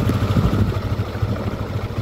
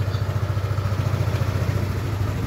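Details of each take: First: Yamaha Aerox 155 version 1 scooter just after engine overhaul, timing chain slightly worn and not replaced: fast, steady low putter that won't settle to a slow tick-over; idle set too high, needs diagnostic tool to lower. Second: Yamaha Aerox 155 version 1 scooter just after engine overhaul for noisy engine: steady, even low thump with no knocking at idle; runs normally though idle is set high, timing chain slightly worn.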